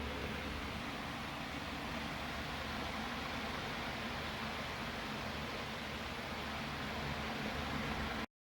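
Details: Room fan that took long to reach speed, after oiling front and rear motor bearings, capacitor also suspected; even constant rush of air over low steady hum, no scraping or speed wobble; holds speed, running normally.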